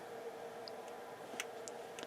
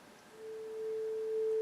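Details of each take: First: Yamaha CR-820 receiver: a quiet steady hum, then a sharp single click about 1.5 s after switch-on as the speaker protection relay pulls in; this relay is flaky, dropping a channel, and is suspected dirty. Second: Yamaha CR-820 stereo receiver on the bench before a full restore and recap, auxiliary input: a steady, pure mid-pitched test tone at constant pitch through both channels, with faint background hiss; it sounds healthy.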